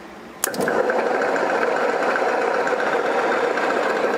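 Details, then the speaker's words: 1959 BMW Isetta sat 40 years, first crank on 12 volt battery: starter clacks in, then steady whir with faint sluggish beat; turns over slowly and rough, not as fast as expected. "Turning over. Yeah. Don't sound the greatest though, does it? Sure don't. Not turning over very fast either, like you'd think it would with the 12 volt."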